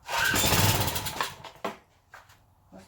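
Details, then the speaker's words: Old Craftsman pressure washer engine, dirty carburetor: coughs briefly, then weak sputters and dies when the choke is taken off; hard to keep running, owner suspects it isn't getting gas. "take that choke off foreign what you want to bet it ain't getting no gas let me play with it a little bit guys"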